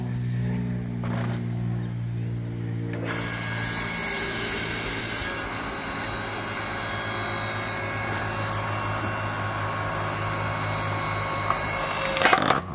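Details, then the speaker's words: Ryobi 5-ton log splitter after the capacitor replacement, splitting a piece of wood: a steady motor hum that deepens slightly as the ram pushes through, with no stalling or straining. Working normally. "and that seems to work just fine"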